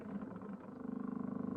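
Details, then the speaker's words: High-mileage 2001 Lexus LS430, battery just reconnected after storage, ignition off: low motor buzz pulsing rapidly and growing louder, some electric motor running on its own; owners suspect the seat moving, source unconfirmed. "I don't know what that sound was. The car is making noises. Listen. Car is turned off and the seat is just moving."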